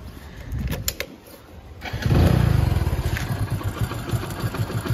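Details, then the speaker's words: Hero motorcycle (Passion) idling unevenly with a quick "kat-kat" clattering tick over the thump, said to get louder after riding; the owner fears it may stall; worn timing chain suspected. "देख ो कैसी आवाज आ रही है अजीब सी cut cut cut cut cut वाली और अभी तो भाई कम है"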